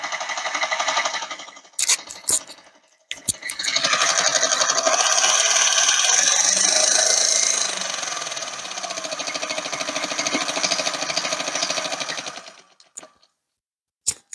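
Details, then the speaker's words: KitchenAid stand mixer that bogs and stops under load, before repair; harsh high-pitched grinding whir with rattle that labours then cuts out, later found to be a stripped worm drive pinion gear, replaced; stripped worm drive gear. "so yeah it's got quite the thick in there doesn't it"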